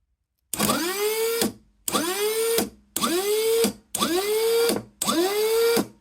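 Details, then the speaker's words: Rebuilt Rotax actuator motor from a Rover gas turbine on battery bench test: click as brake releases, short whirr rising and settling, click as brake reapplies, counterclockwise; correct healthy sound. "Yeah, so that's going counterclock as you look at it, and it's doing the right noise. That click, then the click."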